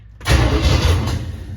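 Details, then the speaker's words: 1978 Camaro, 383 stroker V8 with Vortec heads, first start-up, transmission not hooked up: a short loud rumbling churn as it turns over but never catches; cranks but no start, cause suspected, not confirmed. "oh man it's so close okay so here's what i've got to do"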